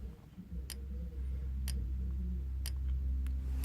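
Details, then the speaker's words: Simplex 4904-9332 TrueAlert strobe pulsed by a Simplex 4905-9914 SmartSync module on a Simplex 4005 panel: sharp, dry click about once a second over a low room hum; strobe flashing steadily and normally. "Like I said, the strobe is being pulsed by the smart sync module. You can hear it"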